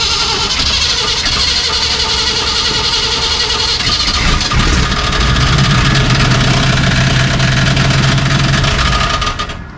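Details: 1973 Chevy K5 Cheyenne Blazer, cold start around 55°F: rough idle with an uneven rapid rattle about four per second; something wrong with the clutch or drivetrain, cause not confirmed.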